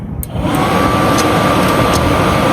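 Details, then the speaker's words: RV furnace (fifth wheel, wintering in Quartzsite) after switch rewired, single wire on bottom, double wire outside: steady blower roar comes up within half a second with ignition, which failed before; furnace fan and burner now running normally. "We got the fan going. We got ignition. Wasn't doing that before, so. That was it right there."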